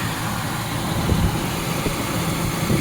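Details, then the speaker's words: 2001 Ford Expedition engine idling smoothly with a steady, even rumble and no misses or knocks after replacing the dead starter solenoid and repairing a taped-together battery terminal connection. Normal idle. "So the new one definitely worked. It's connected properly. And we're back on the road."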